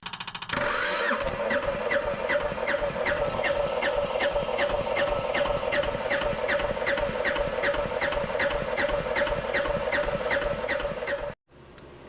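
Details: Japanese IHI mini diesel excavator that sat for a while, on a jumper pack, after injection pump work: starter churns at two to three beats per second for ten seconds without catching; pump quill installed wrong way, so no fuel delivery.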